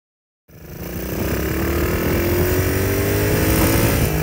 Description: Clear detonation sound that I thought was do to a loose connecting rod turned out to be from a mismade stator plate and or mismade flywheel resulting in an advanced electrical timing and a firing too soon the caused the detonation/ knock and ping sound